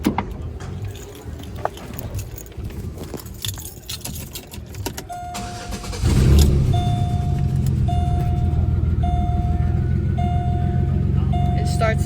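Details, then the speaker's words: Engine after compression test (about 120-125 psi on cylinders four and six), plugs and wires refitted: idle settles but stumbles unevenly with a steady beep overhead; misfire persists, injectors suspected, Sea Foam planned. "but it still seems to have that misfire"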